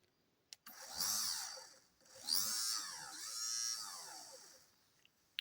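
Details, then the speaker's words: Mazda 626 GD electric fuel pump, repaired, bench-tested before reinstalling: high, thin whine in three smooth bursts that rise and settle cleanly with no rattle; pump works fine. "works fine so throw it in and see if it runs"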